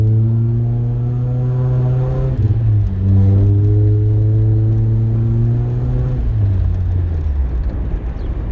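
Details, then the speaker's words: 2012 Mitsubishi Lancer SE AWD with CVT and paddle shifters, driving with windows down in the neighborhood, gentle 0–40: smooth whine rising in pitch with higher RPM, dipping and rising again; normal CVT whine, nothing wrong. "You will hear a whine as you're going up in the higher RPMs. But just ignore it. It's not a big deal."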